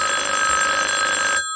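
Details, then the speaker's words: Vintage rotary phone on a self-contained room-to-room telephone exchange, calling line two: a clear, steady bell ring holds about a second and a half, then cuts off cleanly. Normal ringing. "so what I'm going to do now is call line two and you'll hear the ringing"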